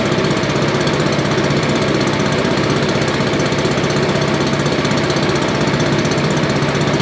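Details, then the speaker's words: Roadside-found Billy Goat leaf blower with Briggs & Stratton 9.5 hp single, sooty plug and low compression noted, run with choke; steady even chug at constant speed, no misses or backfires; running normally. "think that's pretty awesome. It ran really good."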